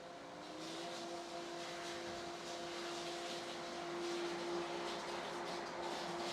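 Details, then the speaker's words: Pool and spa filtration pump priming at high speed in spa mode: fast, steady tone creeping up in pitch over a hissy, churning rush. The pump is drawing air from heavy water aeration in a tiny test tank. "During this priming cycle here where the pumps are running at high speed, there's so much irration of the water happening in my test tank that you can see it and hear it in the pumps here."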